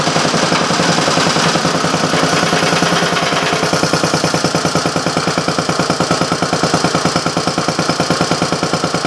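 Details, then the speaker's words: Briggs & Stratton Model A single-cylinder engine, one of three of four revived, run on a temporary gas tank after broken intake manifold work; sharp, even firing pulses at about three a second. Normal running. "okay so I got three of the four model age running not sure what the next projects gonna be"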